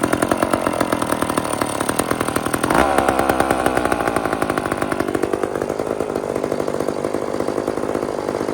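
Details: Old chainsaw (possibly 2399 or 2899 B10) on a slight prime: choppy, uneven firing rhythm that surges and sags instead of holding steady. Erratic running; low-speed jet needs more fuel.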